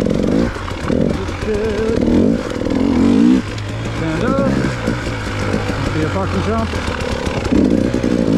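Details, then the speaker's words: KTM single-cylinder dirt bike ridden on rough ground, checked after a fuel-pump blink code traced to a bad battery ground: revs rise and fall cleanly under load, no misfire, cutting out or bogging; rider half-suspects boginess but it runs great. "maybe i'm just hearing things now because i'm still a little bit paranoid the bike's going to let me down but it seems to be running great"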